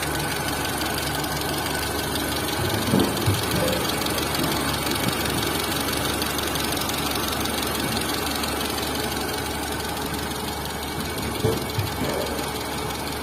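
Steady idle with a light, somewhat uneven tick about three times a second over the engine hum; sounds like top-end camshaft noise. Cause suspected, not confirmed.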